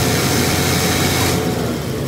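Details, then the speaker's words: Nissan TB45 inline-six forklift with severe power loss; oxygen sensor removed, vacuum rises to 20 inHg; loud full-throated running with heavy exhaust roar as the engine breathes freely; plugged exhaust, likely catalytic converter. "you can see that the vacuum now is at the green Mark which is going to be 20 in of bre so the engine can breath"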